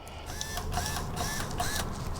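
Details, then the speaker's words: Toyota Land Cruiser 80 Series left-rear electric window regulator, repaired and tested from the switch with ignition on: the motor whirs with a smooth, even drone, no grinding or binding, and it works. "Look at that. It bloody works. You beauty."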